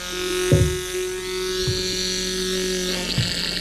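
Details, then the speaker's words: Electric fuel pump on Cummins-powered Snap-on truck unrun for 10 years, bench-fed 12 volts: steady buzz with thin whine but pulls no fuel from tank, only gravity feed; replaced with new pump. Fuel pump runs but does not draw fuel. "So the fuel pump's running. And like, it should be pulling, I mean, it's literally coming out of that tank. It should be pulling fuel right now, and it is not."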